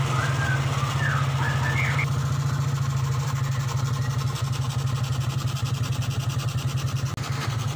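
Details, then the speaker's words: 2003 Suzuki Smash 110 after charging system repair, run with battery terminals disconnected: firm, even beat, revs without stutter or misfire; charging system now normal, test lamp bright. "Ini aki belum terpasang ya, jadi ini terminalnya saya copot, nggak pakai aki istilahnya, tapi ini bisa menyala normal. Kalau digeber ini nggak berbet ya."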